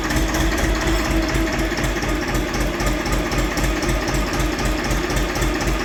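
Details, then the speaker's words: Polish excavator-importer's diesel machine idling with a dynamo: fast, fairly even clatter about four per second; dynamo shakes, wheel has play, bearings broken up so charging is poor; owner weighs refitting a dynamo or swapping to an alternator. "No i ładowanie prądnica jest do dupy ona aż się telepie tam słychać jak łożyska się rozwaliły no luz na kole grzechotka to jest"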